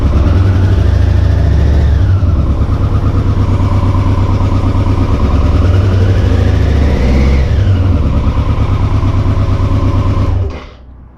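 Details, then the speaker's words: BMW K100 motorcycle, first start since 1998 after 22 years in storage, with fresh petrol and an oil change: even, smooth running with clean rises and falls in revs, no obvious knocking. Fuel injectors still need proper testing. "it sounded good to me in terms of there's no obvious knocking or anything like that"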